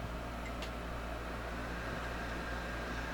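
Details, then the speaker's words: Pride DX-300 with a replaced Nomad HV power supply PCB and new electrolytic caps, slowly powered up on a variac at about 90 V drawing 50 W: steady airy whoosh with a faint hum as the blower spins up. Normal cooling blower. "I can hear the blower starting."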